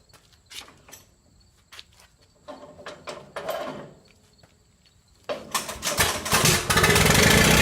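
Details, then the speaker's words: 1928 Farmall Regular tractor after valve adjustment and carburetor tweaks, hand-cranked with choke then timing advanced halfway: quiet cranking, catches around five seconds in and settles into a strong, even run; normal start. "and there we go it's all there is to it that's all there is to it say we're looking pretty good for the farm all regular"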